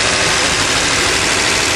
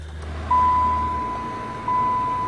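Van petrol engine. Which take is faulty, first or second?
second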